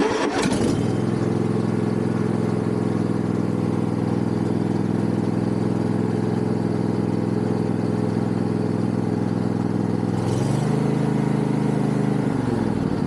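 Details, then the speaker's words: Yard Machines MTD riding mower after tightening loose engine mounting bolts: engine runs at steady throttle with no knocking, then spools down smoothly; earlier knock on throttle-up gone, no play, fixed. "Actually, that fixed it. Because if you remember before, it was making a terrible noise every time I would throttle up. It would make a knocking noise almost, and we don't have that anymore."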